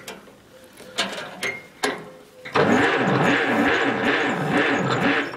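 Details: 1951 Allis Chalmers WD, not run in at least 10 years, on a first start attempt after checking the distributor cap: a few clicks, then the starter churns evenly at about two pulses a second without firing. Cranks but won't start; cause not confirmed.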